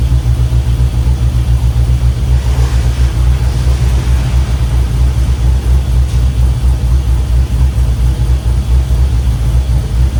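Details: 1967 Chevy C10 with an LS swap, after an injector check and reconnecting all injectors; deep, even V8 rumble with all eight cylinders firing. Normal idle.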